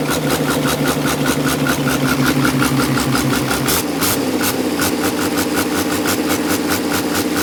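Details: HX50 turbo leak test on diesel idle: steady idle with a rhythmic airy hiss pulsing about two or three times a second; turbo hissing/singing.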